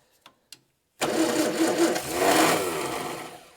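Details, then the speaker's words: 1965 Morris Minor 1000 after more than 40 years in a barn, carburetor just refitted; a few clicks, then ragged, uneven coughing bursts without settling. Misfiring on cranking with plug leads in the wrong firing order; owner also suspects too little fuel. "Right, so these are definitely in the wrong. I can hear it firing in the wrong order."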